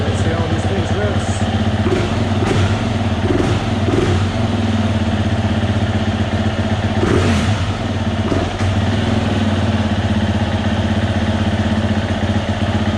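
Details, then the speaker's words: 2020 Husqvarna FE 350, 40 hours, that bogged and stalled on quick throttle, first start after fuel pump and fuel filter replacement: steady single-cylinder idle taking throttle without bogging; runs better, minor fuel leak from misplaced gasket. "great well it's definitely better"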